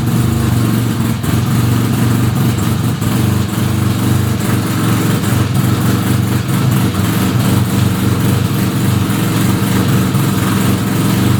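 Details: 1975 Suzuki RE5 rotary motorcycle just after full restoration, engine running: uneven gravelly clatter over steady exhaust note; transmission noise, cause unknown.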